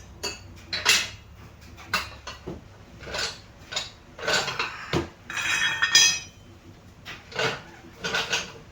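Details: Subaru exhaust heat shield struck by hand with engine off, car raised: irregular bursts of bright tinny clinking and rattling from a loose heat shield, fixed with a band/hose clamp.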